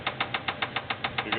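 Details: LT1 V8 in a Buick Roadmaster, put in gear: sharp hard metallic knocks about seven per second from a spun rod bearing with piston hitting the head, briefly fading in a dead zone.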